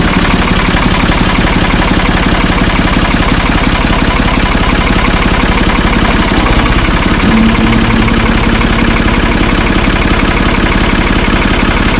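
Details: Ford 445 diesel tractor, thought to be a 1970s model, bought at online auction: steady idle at about 170 even pulses a minute with no misses or knocks; it starts and runs well, smooth and healthy.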